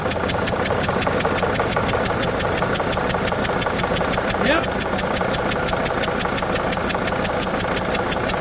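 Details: Diesel engine that had small leaks at injectors #2 and #4, restarted after retorquing an injector bolt to about 20 ft-lb: sharp, regular ticking about five times a second over a steady idle, possibly compression chuffing past an injector seal.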